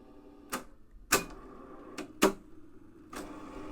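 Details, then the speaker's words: Realistic 999B reel-to-reel deck, no tape loaded, switched to fast forward; sharp button clunks then a steady, very loud rushing whir as the reels spin up, normal for this deck. "forward. Very loud."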